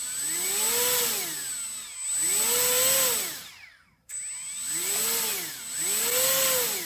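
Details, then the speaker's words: HobbyKing EZIO 800 electric glider, motor speed test to isolate the earlier squeal: a clean whine sweeping smoothly up and down with throttle, no stutter or strange noise. The result points to the ESC as the faulty part; motor running normally. "no strange no noises whatsoever very [Music] smooth"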